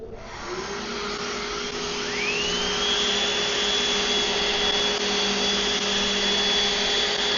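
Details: Old DeWalt random orbital sander, baseline quick pass on wood; it sits balanced and pushes with two fingers. Steady high-pitched whir spins up within two seconds, one even tone, no wobble or rattle; normal running.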